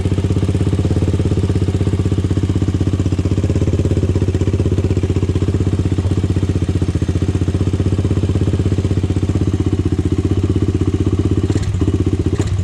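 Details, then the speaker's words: Honda 400EX single-cylinder engine at first start after starter brush replacement: steady thumping idle at about four beats a second, with no knocking or valve train noise. Bottom end sounds okay. "it sounds like the bottom end is okay i mean i didn't hear any knocking or anything i didn't hear any valve train noise or anything unusual"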